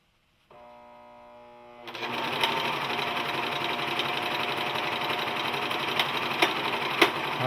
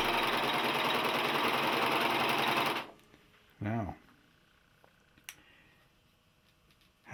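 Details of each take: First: Singer 14J250 Stylist 4-thread serger, new out of the box, chaining off: fast steady whirring stitch chatter with a few sharp ticks; odd running noise of unknown source, seam unaffected, possibly needs break-in. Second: Singer 14J250 Stylist 4-thread serger, new out of the box and not yet lubricated, chaining off on a vibrating assembled table: a fast, even, buzzy whirr for about three seconds with no clunk, then it stops. The earlier clunking has stopped.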